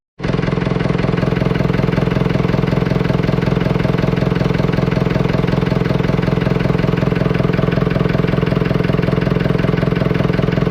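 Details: Fordson Major tractor diesel started after Simms injector pump repair, leak corrected and pump timing set; catches at once and settles into an even, steady chug of about 210 beats a minute with no misses, idling healthy.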